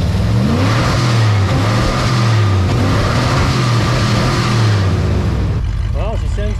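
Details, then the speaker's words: 1985 Ford Bronco, sat about 15 years in a backyard and now revived; gas tank still leaks a bit, fuel pump working: deep rumble revving smoothly up and down, pulling cleanly with no misfire or knock. "anyway it's running gas tank still leaks a bit uh fuel pump came around that's good"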